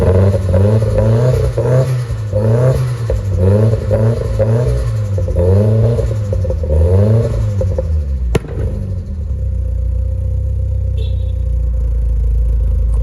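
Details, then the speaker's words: Nissan S14 with SR engine swap, just running again and still untuned, on fresh 93 octane: rising and falling rev sweeps with clattery crackle on each blip, then a sharp fat pop in the exhaust as the throttle closes. "But as you guys did hear, that was a fat pop."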